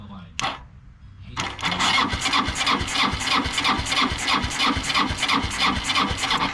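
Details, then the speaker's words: Qlink Legacy trike with 250cc CFMoto automatic CVT engine, sat outside for about 4 years, spun over on external power: even cranking, about three compression pulses per second, no grinding; healthy starter crank. "she sounds healthy sounds like i'm from that solenoid though be careful"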